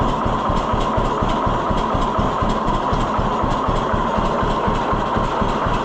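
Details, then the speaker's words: 1948 John Deere B tractor after Wico X magneto work giving a hotter spark: even, lopey two-cylinder idle with steady thumps and no stumbling or dying. It seems to idle lower than before and no longer fires on one cylinder. "I don't know why I don't think it would have idled that low before. Yeah, I'm I think I think it did make a difference."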